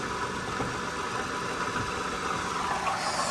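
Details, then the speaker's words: 2013 Toyota Sienna Limited V6 at idle, heard in engine compartment: steady idle with constant rough whirring hum, worsening over weeks; worn water pump and idler pulley bearings, replaced preventively before failure. "so it is the noise that uh telling us that the water pumper is blown out eventually"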